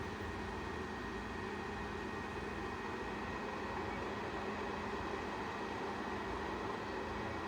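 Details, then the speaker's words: DPS-2000BB power supply on 240V, pins A6 and C2 bridged, four added cooling fans drawing 0.4 A, test run before modification: steady airy rush with faint constant hum, no ticking or rubbing; fans running normally. "Okay, power supply running, DC, AC is on. This is a test run, just to see, make sure everything is working."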